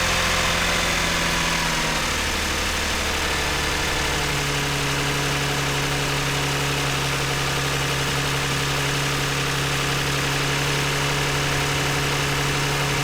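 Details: 2009 Toyota Highlander, 276,480 miles, idling after swapping cylinder 2 and 4 ignition coils to chase a cylinder 2 misfire: even, smooth, quiet idle with no stumbles; misfire gone after the swap.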